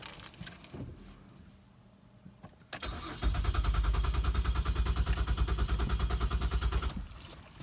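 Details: 2014 GMC Acadia, shortly after the battery cable was disconnected and reconnected, with fuel in the tank and the fuel pump heard priming: starter cranks steadily at about three compression beats a second for four seconds but never fires; crank, no start.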